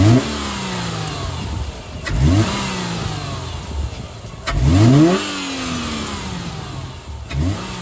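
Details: 2008 Subaru Legacy 2.5 manual, just after a Cosmo Racing cold air intake install, started the morning after: steady idle with three clean throttle blips, revs climbing and falling smoothly with no misses or knocks. The engine sounds healthy.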